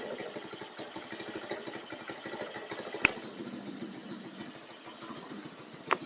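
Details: Baja Dune 150 buggy with Chinese 150 engine, started after raising the idle and adjusting the throttle, which had made it die on gas: quick uneven popping pulses and no stalling; normal running.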